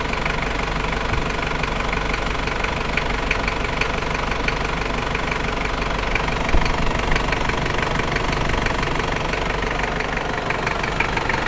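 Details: New 1KZ-T diesel engine at idle: a rough knock repeating about four times a second on top of the clatter. Engine knocking at idle, source unknown.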